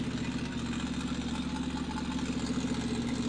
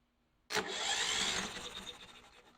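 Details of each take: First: Briggs & Stratton 350777 1152-E1 on its first start on its own fuel, leaking fuel: steady, slightly lumpy idle at about 210 beats a minute; it was blowing oil out, though that isn't audible, but runs on its own. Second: Briggs & Stratton 350777 1152-E1, bought after sitting in a basement, cranking with spark plugs removed to check spark: fast, even whirr spinning freely with no compression bumps, as expected; good spark confirmed.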